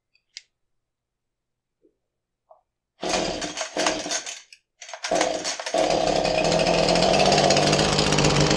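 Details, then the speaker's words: Husqvarna 435 chainsaw that won't start, previously flooded with fuel running from the muffler, being pull-started after fitting a new ignition coil. Pull-cord rasps, then a ragged sputter that never catches; the replacement turns out to be the wrong coil. "I got a new coil on there let's see how it runs it's not running I mean I know the engine was flooded because the last coil you know I had fuel coming out the"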